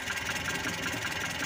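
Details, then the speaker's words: Mitsubishi Colt T120 used for hauling sand and farm produce, engine running at idle while the distributor is adjusted: turned too far left, idle is steady and light with soft regular exhaust popping but lacks power for loads. Ignition timing is retarded. "kalau buat tanjan ngekrek teman-teman kurang kurang mesinnya kurang"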